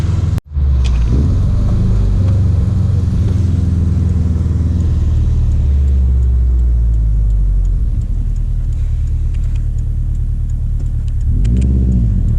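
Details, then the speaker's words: Subaru WRX STI with 12 psi boost tune, first drive after winter storage on old fuel, in rain at 12-degree air temperature, pulling under boost: deep, even engine drone, no rattle or pinging, no feedback knock; healthy acceleration. "well 12 pounds of boost tune is doing perfect no feedback knock so even though the fuel's been sitting in there for a while it still is pretty good fuel"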